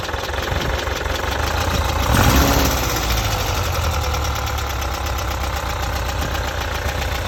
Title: Type 4 engine knocking?